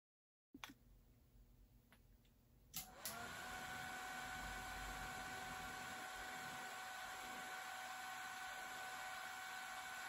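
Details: 49-year-old HP 3455A digital voltmeter, recorded with the camera's built-in mic: the original HP cooling fan runs with a loud whine for several seconds, then a much quieter replacement Noctua fan takes over.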